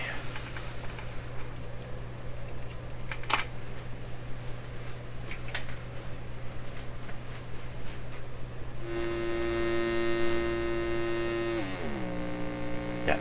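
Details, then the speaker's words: Canadian Marconi Model 93 radio speaker tested by driving the voice coil directly from a signal generator: steady low mains hum throughout, then a buzzy test tone with many overtones; speaker sounds terribly buzzy. "that should be a nice warm like I'm like yeah like I can imitate it it's got a terrible buzzy sound to it"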